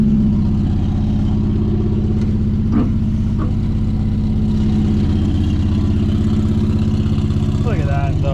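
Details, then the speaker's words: 1963 Plymouth Belvedere, sitting since 1978, just fired up after a little fuel: steady, even low idle burble with no knocks or misses and only brief noises over it; idles smoothly. "we go just need to get a little bit of fuel to her but she fired right up"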